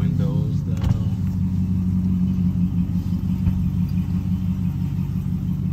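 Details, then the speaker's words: 2021 Ram Limited on factory air suspension with 33x12.5 tires on 22s, at cruising speed: steady deep road roar with no rhythmic rubbing or thumping; normal loud tire hum. "so i've been getting a few questions in the comments asking am i having any rubbing issues or lost the power oh how loud are the tires so let's shoot this video right quick so y'all can hear it"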